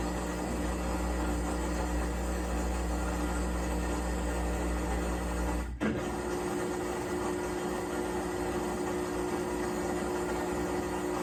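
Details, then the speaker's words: Maytag top-load washer model MVWC565FW2 in spin cycle: low steady hum with rough grinding, never reaching full spin speed. "It doesn't seem to want to spin. It's making a bit of a grinding noise."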